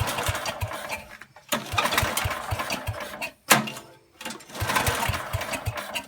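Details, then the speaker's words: 8 hp Kohler K181 single-cylinder on a Giant Vac leaf blower, points ignition, no fuel tank, ether shot in the carb: sharp pops catch and run in short bursts, dying and refiring; ignition works, needs steady fuel supply. "yeah it's going to work it's going to work we can recoil there we go all right well that sounded like very promising huh guys"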